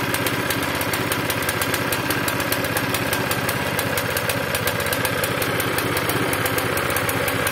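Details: Zipper plate compactor engine reported to start, run briefly and die, smoking and lacking power, with very little fuel: ragged, uneven chugging around four pulses a second that misfires and hunts. Owner plans to clean the tank and carburetor; cause unconfirmed.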